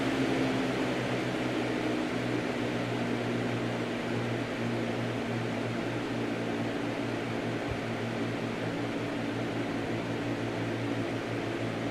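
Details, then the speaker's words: New Lasko CoolColors box fan running on low: steady soft whoosh of air with a low even hum and no ticking or rubbing, just wind noise from a healthy fan. "and as you can hear knock on wood it's just wind noise"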